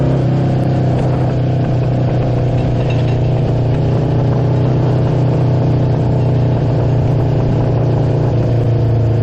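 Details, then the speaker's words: Honda CB750 motorcycle revived after 33 years in a barn, first run: steady four-cylinder drone with uneven pops from a partly plugged muffler still spitting debris; high-speed run planned to clear the pipe, otherwise runs smooth. "we still hear the popping out of that pipe that's kind of plugged up and stuff is still flying out of there we need to take this thing for a highspeed run to get that pipe cleared out"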